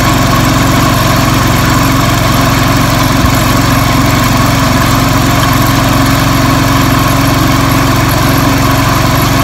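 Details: 1975–80 International Harvester Cub Cadet 1000 tractor, single-cylinder, revived after sitting 20 years: steady low thumping idle at even pace, no knocks or misses; running normally.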